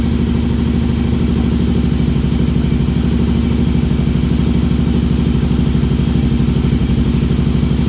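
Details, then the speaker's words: Kawasaki KLR 650 single after a wiring fix for constant power with the key off. It holds a steady, even fast idle on choke with no knocks. It only runs on choke and needs rejetting after moving up 1,000 ft. Sounds healthy; normal idle. "All right, it runs. Only runs with the choke, so obviously we gotta do some jetting because I went up 1,000 feet, but here you go. It's healthy."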